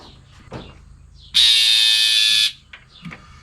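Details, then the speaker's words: 1966 Ford Mustang, sitting unused for 12 years: windshield washer pump jumpered directly to the battery to test an intermittent fault runs with a steady, high, even buzz and doesn't cut out. Pump runs normally here, though it later proves intermittent too. "I'll jumper this pump directly to the battery now. And we'll see if it runs consistently."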